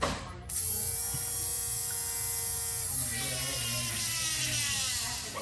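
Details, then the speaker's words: Jeep Scrambler with a newly installed electric fuel pump, key cycled: high, thin electric hum holds steady for about five seconds, with no squeal, rattle or leak. Normal fuel pump priming. "Sounds amazing. It didn't squeal. It didn't leak. It just picked up, that's all."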